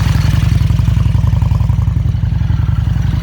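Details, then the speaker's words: 2000 Excelsior-Henderson motorcycle with electric oil cooler and fan, walk-around cold start: steady, even low thump at idle, about 220 beats a minute, no rattles, knocks or funny noises; engine idles smoothly, normal idle. "There you go. Engine sounds great. No funny noises."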